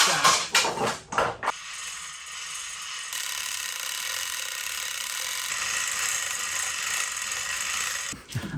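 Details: Restored Coffing chain hoist, test-lifting an old bell: fast, light metallic clicking evenly through the lift with dry chain rattle; ratchet and gearing working and taking the weight.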